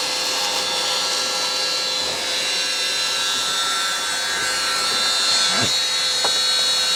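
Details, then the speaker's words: Worn wet-vac motor mopping up spilled workshop coolant gives a loud, steady, high-pitched howl over rushing air; it runs hard and sounds worn but keeps pulling. "Howling motor push wet vac to the rescue. Come on. Slow, but it's working."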